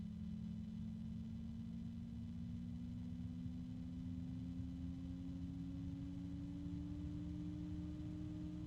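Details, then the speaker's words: Noctua NF-A12x25 PC fan running beside a BitFenix fan: steady airy whoosh, louder but lower pitched, smooth mid tone, no rattle or bearing grind; healthy fan at speed. "Yeah, it's definitely louder. You can still hear the bit Phoenix, but it is not as loud. It's just a lower pitch."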